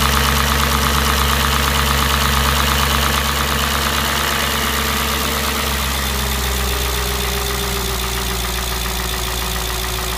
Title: S4 B6 Motorgeräusch